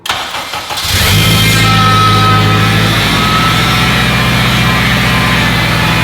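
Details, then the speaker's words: Turbo Honda Civic Si with a brand-new K24 engine and brand-new oil pump, cold start: catches and settles to an otherwise quiet idle with a distinct mechanical whirr over it; owner 99% sure it is the oil pump, as heard before on an Evo 10 4B11. "The K24 is as quiet as could be, other than this one very distinct noise. I know what that noise is because I've experienced this before on an Evo 10, a 4B11. Even though it's a brand new engine with a brand new oil pump, I'm 99% sure that noise is coming from the oil pump."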